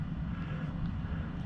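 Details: 2013 Audi A8L air suspension. The pump hums steadily but the car doesn't rise and no external hiss is heard. Found to be an internal leak: the pump's recirculation valve had popped out.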